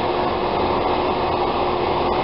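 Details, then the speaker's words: Bathroom exhaust fan after repair, fan spun freely by hand first: steady, even midrange hum with no rattle, scraping or ticking; motor running smoothly and healthy. "go ahead take and plug this in and just listen to that nice hum of a fan"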